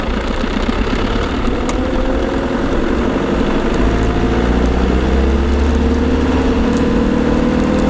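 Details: LT230 transfer case heard with sound proofing fitted: low drone with a whine climbing in pitch as speed builds, suggesting transfer box whine under drive.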